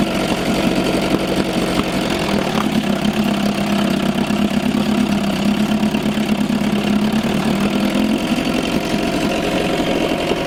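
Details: 1987 Johnson 4hp twin two-stroke outboard in a water barrel, recently overhauled with new choke/fuel shutoff and idle valve, on old rich-mix fuel: even buzzy note at steady pitch with no misses or knocks; normal running.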